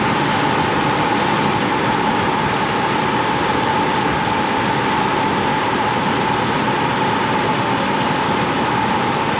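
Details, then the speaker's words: Chevy Colorado/GMC Canyon i5 engine idling after replacing stretched, weather-cracked serpentine belt that jumped and dragged over the tensioner when cold; smooth even hum, no squeal or chirp, noise gone. "as you can see that took care of the noise our belts get stretched on these and cause them to make that noise"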